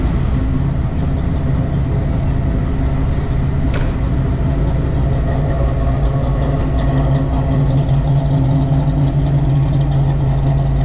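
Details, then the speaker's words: 1993 Mustang Cobra V8 with new H-pipe and Flowmaster American Thunder exhaust, after first test drive since 2010, warm: loud steady deep rumble but idling faster than normal; high idle, owner to check. "so yeah idle's a little high so i gotta check that out but i'll let it cool off go over everything"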